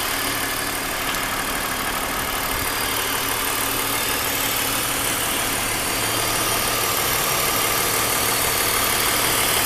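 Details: 2001 BMW 530i M Sport (E39) at idle: steady idle with hissy, rattly ticking about three times a second over the engine drone; recently developed abnormal engine noise, cause still being investigated before repair.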